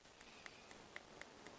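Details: 2015 Hyundai i20 with the 1.4 engine, misfiring and running on two cylinders: sharp, regular snaps about four per second over a soft hiss. Spark is arcing through cracked ignition coil insulation onto the cylinder head, and a new coil was ordered.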